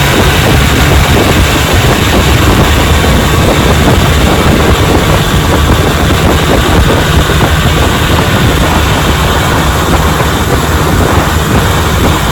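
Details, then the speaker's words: Restored 1957 Johnson 10 hp QD18 outboard with rebuilt carburetor and magneto, lake test pushing a boat: loud, constant high-revving two-stroke buzz at full throttle under wind rush, no stumbling or dropouts; running strong. "So let's give her the gas and watch her run. She's a hat puller downer."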